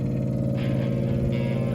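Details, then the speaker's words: 1950 Ford F1 parts truck that sat for many years: its electric fuel pump is jumpered directly to battery positive. Steady, even hum with no stutter or grinding; the pump works normally. "Yes, it's working."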